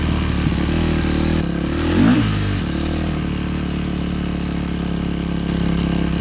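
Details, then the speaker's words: Yamaha YZ450F single-cylinder after carburetor cleaning: fast, busy idle well above normal, holding steady with a short blip midway. Rider notes it runs at quite high revs; high idle speed. "Ei tohon vapaata löytyä. >> Aij tää käy on aika korkeilla kierroksillä."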